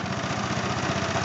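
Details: Briggs & Stratton 375 Sprint single-cylinder engine with an oily, fuel-smelling leak: fast, regular ticking and clacking over a rough idle with a faint airy hiss of air escaping from underneath; a blown head gasket is leaking.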